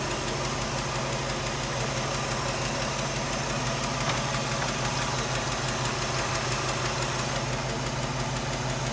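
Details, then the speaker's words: 1967 Mercury Cougar V8 idling with passenger-side valve cover off: a light, steady tick about three times a second from one loose rocker with up-and-down play, a valve out of adjustment that might need tightening; exhaust leak and failing lifter were also suspected. "So, all right, we got our passenger side valve cover off, and we actually found one kind of noisy one. This one here. So that one might need a little bit of That's up and down. tightage."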